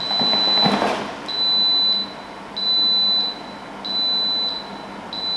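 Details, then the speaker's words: Dehumidifier on switch-on: repeating high beeps about every 1.3 seconds and then shutdown, signalling a full water tank or float switch fault. "right so that's shut down it's telling me that this is full or it's got an issue cuz if it fills up with water it does the same thing"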